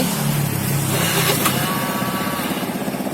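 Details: Honda Beat carburetor scooter, starting issue linked to the brake-switch relay connector: engine catches at once and settles to a steady putter of about four beats a second, no clicking; normal start and idle.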